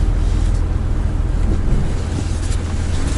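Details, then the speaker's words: Maserati Ghibli S Q4 creeping around a tight low-speed turn in a parking lot: low, uneven thumps as the tyres grip, drag and snap free against slight suspension give. This is normal tyre scrub, not a fault. "이 쿵쿵 거리는 소리 . 타이어가 끌리다가 튕겨 나오는 현상 입니다 ."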